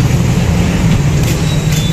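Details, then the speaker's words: Honda Wave 110/XRM motorcycle engine after replacing a crumbled cam chain guide and the tensioner and spring. Now idles smoothly and quietly with an even low thrum, the earlier loud top-end noise gone. "guys na ibalik na natin So ganyan na siya katahimik nawala na yung yun guys okay na"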